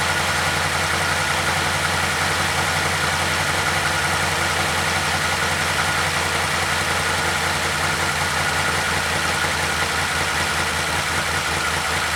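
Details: 2012 Chevy Caprice PPV 6.0 V8 idling after repairing damaged camshaft position sensor wires (P0340, P0341) following a DOD delete, codes cleared by the battery disconnect: steady, even idle with an unbroken drone, no misfire stumble or ticking, running normally.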